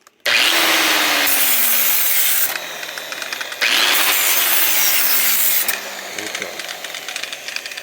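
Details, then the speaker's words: Used corded angle grinder in pretty decent shape doing light metal finishing: high motor whine drops in pitch each time the disc bites metal, then spins back up cleanly; what a healthy used one should sound like. "a little metal finishing there and that gives you some idea what these are supposed to sound like if you're buying used"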